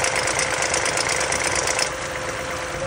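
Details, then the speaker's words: California Toyota Tundra on the freeway with light, fast, even ticking that keeps pace with revs. The owner suspects dry hydraulic lifters from the truck sitting parked a long time. Not confirmed. "I was watching his video and he says if these Tundras stay parked for a very long time they will make the hydraulic lifter noise because they're not being lubricated they're staying dry"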